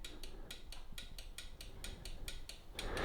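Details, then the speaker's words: Delonghi Magnifica S showing a grounds-tray-full fault with an empty tray. The tray microswitch is tapped repeatedly, giving light, crisp clicks about four a second. It actuates as it should; coffee caught around it can stop it working. "hopefully you will hear this click see this in that so every time I tap up I know my hands in the way but every time I tap up you can hear it"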